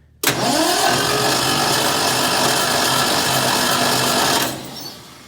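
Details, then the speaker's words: Ford inline-six in a Hobart ground power unit with points ignition, sitting 8+ years: starter spins the engine evenly for about four seconds with no firing, so it isn't seized. "we are getting rotation of it so that's a good thing um so we know we don't have a stuck in gym"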